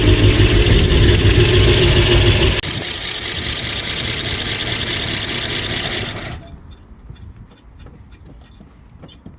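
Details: 1958 Oldsmobile barn find, first startup after long storage running off a temporary fuel tank/jerry can: engine catches and runs strong, fairly even for several seconds, then shuts down; healthy start, sooty exhaust.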